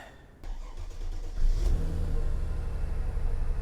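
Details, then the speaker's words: Mercedes E320 after installing a new unit on the belt side: it cranks, catches and settles into a smooth, even low rumble with no squeal or chirp, running much quieter than before. "now we're going to turn it on check the oil and she's going to be purring like a kitten"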